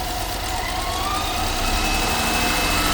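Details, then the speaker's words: 2015 BMW X5 F15 N55 with lean code P0171 and misfires: high thin whine over petrol idle from torn PCV valve diaphragm vacuum leak; noise stops when oil cap removed; leaking valve cover smoking on exhaust. "As you can hear, there's a particular sound. It's coming from the PCV valve, and you can do a quick test."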